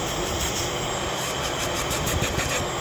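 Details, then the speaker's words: 2015 Chevy Equinox 2.4L with code P0411, secondary air injection activated by scan tool, valves open and pump running: steady loud whooshing blower rush with even electric hum, no rattle or squeal; good airflow, moisture present. "let's check on the secondary injection system yeah here we go active inactive so this should open those valves up and run the pump or the yeah activate airflow good airflow this one's got moisture in it"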